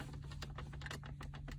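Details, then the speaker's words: Mercedes W212 cup holder, detachable all-plastic part with no cushioning, worsening over years of use: quiet, irregular plastic clicks and creaks as the holder is moved; to be fixed by adding tesa tape as a cushion to cut the play. "이런 소리가 되게 많이 납니다. 특히나 음료를 꽂다 보니까 시간이 지나게 되면은 이렇게 달그락 소리가 나거든요."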